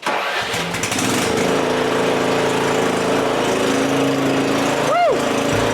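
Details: Riding mower's small engine after repairing its MTD transmission for being stuck in reverse (sealed with 00 grease and aluminum gasket sealer, halves rebolted): catches after a brief crank and settles into a steady run with nothing grinding or clunking; sounds fine.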